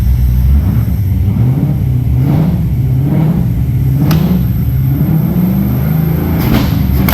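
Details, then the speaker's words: L98 V8 first fire-up, fuel pressure slightly low, oil pressure reading high (gauge possibly wrong): rough rumble while revving with several sharp exhaust pops and big backfires. Backfiring. "so big back firing anyway it runs guys I'm pretty happy"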